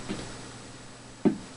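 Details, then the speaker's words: Korg Minipops 120 rhythm machine after fixing cracked board and broken traces, works only intermittently: one faint tick then a sharper click on switch-on; intermittent power-up click, cause unknown. "there you go you hear that funny little click"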